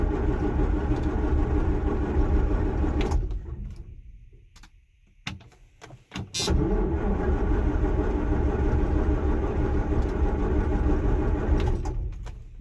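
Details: John Deere 6620 sidehill combine diesel, not started in about a year, in neutral with a solar-charged battery. Steady slow starter churning, a pause, then another long crank, but it never catches. Ether to follow. Long crank, no start.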